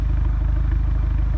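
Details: Rough idle with misfires on an Audi A3 2.0 TFSI stage 2: low, lumpy idle pulsing unevenly several times a second; check-engine light shows misfire on all four cylinders; PCV valve replaced without change; original airbox suspected next.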